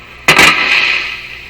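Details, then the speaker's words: 1950s Canadian Philips 922 multiband tube radio on AM band, powered through series bulb: sudden sharp crack from speaker fading into hiss as tuning; shorted tuning capacitor, plates touching. "Sounds like there might be some dirt in the tuning capacitor. Aha! It's a short in the tuning capacitor. Shorted."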